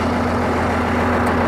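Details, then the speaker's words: Ford 8600 diesel tractor being restored, left idling: loud, steady droning hum with low growl from under the floor, the noise that appeared as it now moves; drivetrain noise, source undetermined. "That little bit I left it running, there's a horrendous noise coming out from under the floor now. That noise I was telling you that makes it now move."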